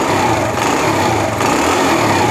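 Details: Honda CD70 with a missing problem, after cleaning the contact points and refitting the magneto cover, throttle checked after a half-kick start. The single revs high and clean with a smooth, unbroken buzz and no misfire or popping.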